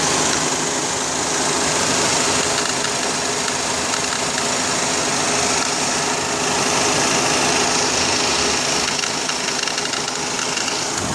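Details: 2004 Honda Accord at idle, belt and spark plugs replaced 1.5 years earlier: light rapid ticking about four per second over the belt whir near the belt drive, tensioner seen moving slightly; failed belt tensioner, replacing it ended the noise.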